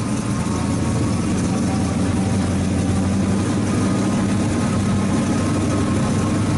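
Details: 1970 Ford Mustang Mach 1 V8 with a rebuilt engine, run after sitting for years on new spark plugs, heard near the quarter panel: a deep, loud, lumpy idle; running very rich, and the carburetor needs a rebuild.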